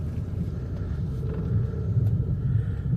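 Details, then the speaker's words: 2005 Chevy Impala that stalls at stop signs and shifts poorly, driven in gear: low rough rumble rising and sagging unevenly about twice a second, stuttering between power and no power; misfire-like stumbling and surging. "You hear all them groans and it's like stuttering. It's like It's like it's back and forth. No power and power."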